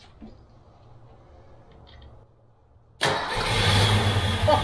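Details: 1988 Fox-body Mustang revival after building a new fuel system and fixing leaks: quiet low turning, then the engine suddenly catches and climbs to a rough, rising rumble as it fires; normal engine start.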